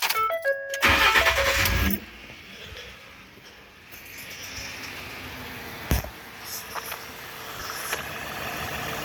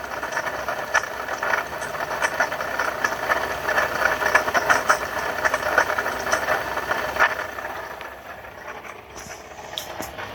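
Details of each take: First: 2012 Ford F-150 3.7 L V6 Ti-VCT, 2WD, idling with serpentine belt removed so no pulleys turn: after a door chime, soft even idle with no whine or chatter; much quieter, proving the noise came from the loose, sloppy water pump. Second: Alright, that's what a bad water pump sounds like on a 2012 Ford F-150.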